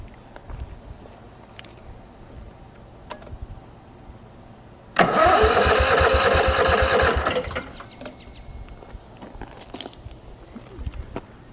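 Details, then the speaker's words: Kawasaki small air-cooled engine bumped over with the spark plug wires off and the fuel line held in a jar to test the fuel pump: about two seconds of steady starter churn with no firing. Good fuel flow, so the pump and line are fine. "so I'm going to bump the engine over just a couple bumps I'm going to hold this fuel line down in this jar we're going to see if any gas comes out that'll tell us if the fuel pump is working here we go"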